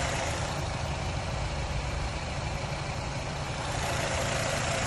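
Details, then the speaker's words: 2011 Nissan Rogue at idle after PicoScope diagnosis of a misfire following a cylinder head job: even, steady, smooth low hum with no stumble or skip; running good, idling perfect, just needs the bad coil wire set changed. "but other than that i mean cars running good idling perfect we just got to change that wire set"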